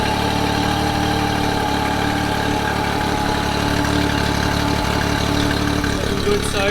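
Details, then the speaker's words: Honda BF30 outboard just after its 12-month service and internal anode replacement, run on flushing water to check for leaks: even steady purr, constant pitch, no knocks, misses or surging; idling cleanly. "i'm just gonna start it up now run some water through it make sure all of this isn't leaking and uh fingers crossed she's all good"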